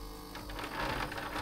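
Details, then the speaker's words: Philips/Saeco EP espresso machine giving no coffee: the water pump buzzes faintly and labors quietly with no flow, having grown steadily quieter. "the pump doesn't work anymore now it just tries to keep pumping but nothing comes through nothing comes into the collecting sound"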